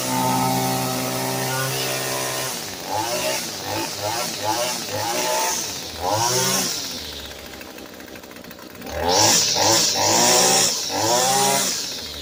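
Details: Echo SRM-225 string trimmer after installing a tune-up kit and new primer bulb: high, crisp two-stroke buzz that rises and falls cleanly with each throttle blip, no stumbling; engine healthy.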